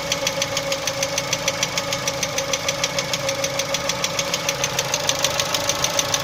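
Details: Chevrolet Cruze 1.6 engine at idle: sharp, very regular metallic knock about three per second, clearly audible over the engine; source undetermined.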